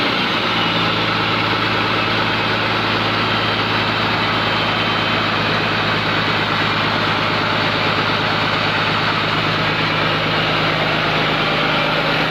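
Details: Komatsu PC200-8M0 diesel engine running after overhaul: deep, even idle with steady hiss on top, no knocks or uneven pulses; healthy normal idle.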